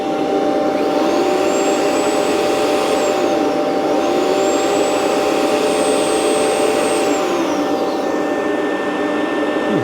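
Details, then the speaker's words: Rainbow PN12 power nozzle before refurbishment, on carpet: steady roar with motor tone sagging to maybe half speed or less under any load; owner suspects loose belt. "But I tell you, when it goes on the carpet, it really slows down. I don't think it's supposed to do that."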